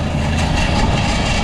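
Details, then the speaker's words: Walk-in cooler used as garbage-room air conditioning: evaporator fan motor shaking badly, low heavy drone with uneven throbbing wobble; the other motor is steady. Worn evaporator fan motor with shaft play, being removed. "but this motor is shaking like crazy. This one isn't."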